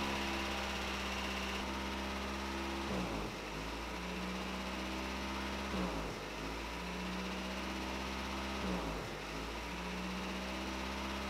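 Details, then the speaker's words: Toyota 22RE (Pickup/4Runner) at idle, about 700 rpm, too high and bouncing, rising and sagging every few seconds; idle air control valve suspected, causing a high surging idle. "now if you notice here my idle is first of all too high so it's about seven foot it's also bouncing"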